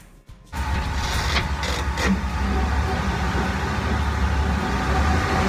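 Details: 2008 Dodge Ram 1500 Hemi, 125,000–146,000 miles, highway use with light towing up to 4,000 lbs, on jack stands in reverse: steady droning whine over low rumble from the rear differential; fluid change did not help.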